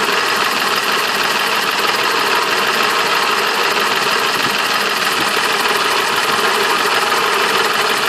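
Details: BMW M20 B27 inline-six at idle: steady idle with a faint, uneven tapping running through it, an engine knock whose cause is not yet pinned down.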